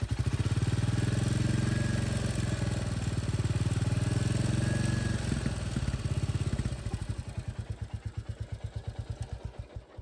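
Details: 2025 Royal Enfield Classic 350, low mileage after second service: single-cylinder idle with steady light tick-tick ticking over the thump, slowing as it dies; mechanic says tappet noise.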